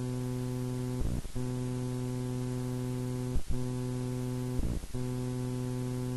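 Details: Edirol R4 Pro recorder picks up a steady low electrical buzz with a raspy edge that briefly breaks up three times, leaking into the recordings; source unknown.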